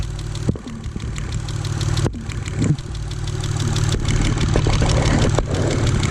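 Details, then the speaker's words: Mitsubishi Galant VR4 being diagnosed for a misfire, coil packs already found good. A screwdriver touches the injector's metal body at idle, giving crisp, even ticking about four per second; the injector clicks normally. "you do is contact that metal buddy and then you can hear the injector clicking doing its job"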